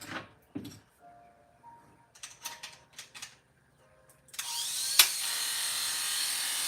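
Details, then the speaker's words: Hair clipper with a blade freshly sharpened for a barber: after a few handling clicks it starts with a harsh, high, buzzy rattle instead of a clean hum. Loose blade-drive socket; fixed by tightening with pliers. "Hear that sound? The socket is loose. So I've got to fix the socket."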